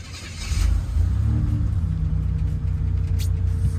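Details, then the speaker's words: Buick Grand National after Turbo Tweak injector and chip kit and 1987 ECM swap, IAC and TPS readjusted: low, steady, even rumble holding idle off the gas without hunting or dipping; check engine light on, normal idle. "is not on the gas it's able to hold that idle just fine"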